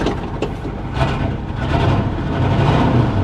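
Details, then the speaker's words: 1967 Ford F100 V8 at an auction yard, oil pressure slow to come up: old V8 idling with an uneven, loping beat and wandering revs that never settle; rough idle, cause not determined. "sure doesn't run the best though"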